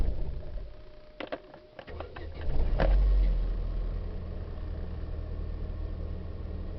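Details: 2004 Chevrolet Vivant (U100): starter churns briefly with ragged firing before the engine catches and settles into a rough idle; hard starting.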